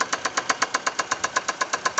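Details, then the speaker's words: Chevrolet Celta 1.0 whose cylinder head was redone without replacing the connecting rod bearings: sharp even metallic knocks about seven per second over a steady idle with all cylinders firing fine; rod knock. "Só bateu biela, alguma biela deles bateu, entendeu? O funcionamento em si do motor, todos os cilindros estão queimando certinho."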